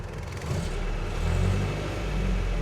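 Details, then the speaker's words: Land Rover Series 3 Lightweight, Weber-carburetted petrol engine, started on a warm day without choke and left to warm up: deep, smooth low rumble with a gentle rise in revs, no misfire or knock. Normal warm-up idle. "It's got a Weber carburetor on there, so it doesn't really need choke. Just let it warm up a little bit before we head off."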